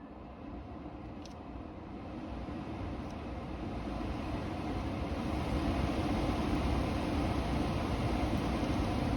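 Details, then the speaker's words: Toyota Tundra climate control knob after repair, engine running: one click forward turns the blower on and the air rush builds smoothly and steadily louder as it speeds up, no squeal or rattle; fan speed knob fixed, blower working properly. "1 click forward, it's on, and then you'll slowly hear it. I'll do it one more time, you'll hear it get louder."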